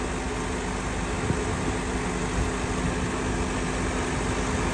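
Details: 2013 Honda Civic A/C at idle after the refrigerant was brought up to the 425 g factory spec. Pressures read a flat, steady line and dash vent air is 50° with windows open. Even hum, no clutch clicks or cycling; the compressor runs continuously.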